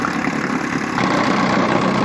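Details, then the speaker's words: 1959 Johnson QD-20 10 hp outboard, carburetor untouched, after cleaning the points and plugs (new coils found) and resetting the coil air gap: even, steady two-stroke burble at idle with no misses or knocks, healthy. "Sounds really good I didn't even do nothing to the carburetor, nothing. Unbelievable!"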